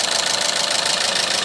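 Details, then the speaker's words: Renault Megane 3 petrol K4M engine at idle: a fast, light, sharp metallic clatter from the top end, from the original cam phaser that has started knocking; phaser to be dismantled and inspected. "вот значит фазовращатель с двигателя рено оригинальный мотор к 4-м застучал сейчас будем разбирать и смотреть что у него внутри"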